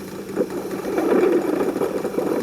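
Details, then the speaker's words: 1940s Peirce Model 55B wire recorder playing back with gain up; rough, uneven crackling and soft knocking in the low mids with no clear tune, the mechanical noise of the stainless wire moving through the playback head. "so it's hearing it's actually mechanical noise that's this the sound of the stainless wire moving through the head"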